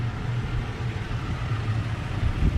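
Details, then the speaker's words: Toyota Tacoma TRD Sport, heard at the tailpipe at idle: deep, slightly lumpy burble, diesel-like and almost cammed but steady; owner says this idle clears carbon buildup; normal. "let me know if you guys can hear that it almost sounds like it's cammed out that's what yeah the sound is very similar to like a cans like oh"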